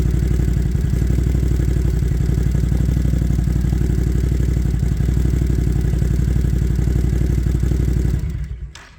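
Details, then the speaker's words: Once-ticking engine after new spark plugs and a new idle air control (idle bypass) valve: it fires first try and idles steadily at about four beats a second, with no ticking in the airbox and no longer firing on one cylinder. Normal idle. "let me go ahead and turn it on for you now fir is up on the first try no ticking inside the airbox"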